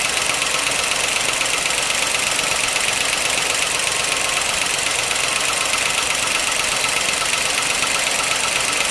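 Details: 1955 Pontiac Chieftain on fresh 10W-40 with Marvel Mystery Oil, always clackety: a light, quick, even ticking clatter high above a quiet idle. It is gross under the valve cover, but a pushrod was not clogged; valvetrain clatter, cause suspected, not confirmed.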